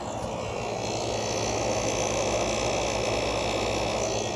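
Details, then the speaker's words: Fedders 7500 BTU window air conditioner with Rotorex compressor, cleaned, started in spring with heater blowing on it, blowing cold; even steady hum with constant high whine and fan rush, no knocks or rattles, compressor normal though slightly loud. "okay the compressor sounds how it normally would at this point it is a little bit on the loud side but it doesn't bother me"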